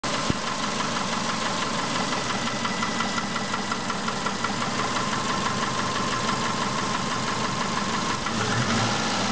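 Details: Subaru Impreza 1.5 L engine, 150,000 km, 5W30 synthetic oil, fully warmed up, filmed at -20 °C: warm idle with a light, fairly quick tapping of about three knocks per second over the engine hum; owner asks what is knocking.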